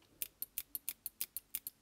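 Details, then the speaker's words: Eclipse CS3 after solenoid maintenance, powered up with the eyes off and the trigger pulled: sharp, crisp clicks, about ten in under two seconds. Normal solenoid operation. "you can hear that Soul noise clicking inside everything's good on that"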